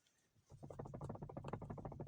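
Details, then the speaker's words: Toyota Tank: dry plastic knocking, about seven taps a second, inside the cabin when driving over small bumps. It comes from the seat headrest, which was fixed by wrapping its guide clips with black electrical tape. "вот такой стук стоит когда едешь по мелким кочкам"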